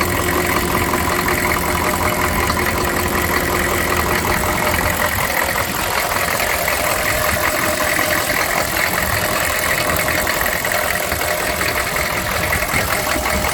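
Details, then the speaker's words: 1996 K2500 6.5 turbo diesel after fuel line repair and bleeding: runs rough and uneven for the first seconds, then smooths into a steadier clatter as air bleeds out of the fuel; fine once the air is out. "so there you go wood weasel back up and running it was stumbling and popping but as we got the air out it's fine now"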